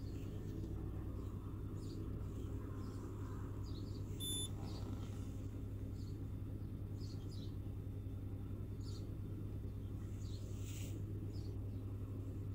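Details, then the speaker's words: Peugeot 307 1.6 petrol after replacing the ignition coil (its cylinder 2-3 circuit opened when hot) and an injector, errors cleared, warming up: low, even idle with no misfire, no errors, engine running well. "Так, ошибок нету. Так, двигатель работает хорошо."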